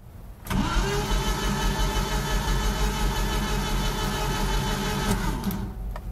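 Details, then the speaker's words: 1988 Jeep Comanche, Renix 2.5L I4, 2WD, crank no-start: the starter spins the engine fast and perfectly evenly with no compression beats for about five seconds. Battery terminals were found loose. No compression. "She no choochie choochie. So. Something ain't right."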